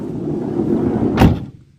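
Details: Movano van side sliding door after its middle runner bearing was cleaned with WD-40 rather than replaced. Smooth, even rolling rumble ending in one clean thump with no grinding. The earlier grinding came from grit in the grease along the runner; the runner is still slightly notchy.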